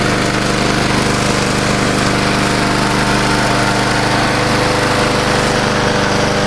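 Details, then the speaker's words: Old Murray Dynamark 22 mower, 3.75hp Briggs & Stratton, revived after seven years stored, sharpened blade, mowing thick grass: steady, even engine note holding speed without bogging, strong; normal running under load. "but did a real nice I like and back here where it's pretty thick that didn't even bog down or anything"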